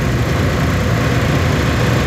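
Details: Old water-cooled industrial air conditioner after a no-cooling call, amps around 10.7–10.8 ("can't ask for better"), unit had tripped on high head: a steady, even low hum with no rubbing, squeal or knock; running smoothly.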